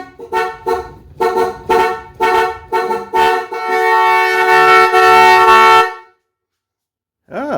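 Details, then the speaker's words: 1965 Ford Mustang with rebuilt 289 V8, ignition on before first start: horn honks in short bursts, then blares nonstop for two seconds before cutting out; stuck horn from faulty reproduction horn button contacts. "it's possessed. So something's messed up in the horn contacts."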